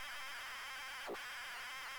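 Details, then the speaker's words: ZX Spectrum cassette loading: steady high warbling data screech with one quick sweep midway, a turbo loader notoriously hard to load. "that's a horrible loader that's horrible oh it's one of them turbo Plumbing loaders the notoriously bad to get to load"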